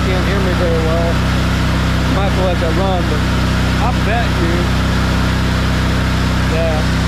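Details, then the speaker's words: Kohler engine on a Hobart 10,000 W welder generator after carb repair and old fuel pump refit: steady, even drone at constant governed speed, no surging or misses, left running to heat cycle; owner suspects earlier replacement fuel pumps. "I was having problems running great right now I'm gonna let it run a little bit let it heat up a little heat cycle"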